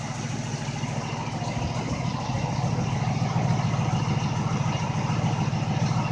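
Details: MG Magnette ZB V8 coupe with auto chokes, warmed up: even, burbling idle that firms slightly then holds steady, no misses or surging. Healthy warm idle.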